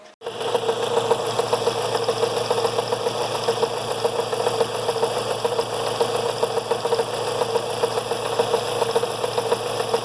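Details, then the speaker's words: Fiat Brava 1.6 16V at idle after timing belt service: steady whir with fast, even chatter from the timing belt tensioner left out of position and too tight. "então olha eu ouvi o barulho está fazendo aí né então vou tirar esse barulho refazer a posição e do do tensor da correia do bravo beleza"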